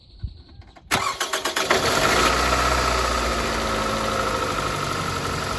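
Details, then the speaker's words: Car engine: cranks and catches, then idles uneven and choppy with repeated stumbling, still shaky; not fixed, misfire blamed on a faulty spark plug needing replacement. "Okay. Yeah, it's not fixed. So, I was a little bit afraid on this. Okay. All right. Damn. Because it's still shaky. It's still somewhat choppy. That means I have to replace the spark plug."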